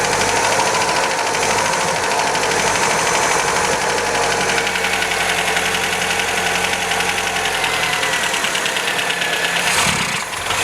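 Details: 1977 MGB, first run after years off the road, good oil pressure around 60 psi: uneven, lumpy running with fast light tappet rattle; ignition timing massively advanced and tappets need adjusting; rough running.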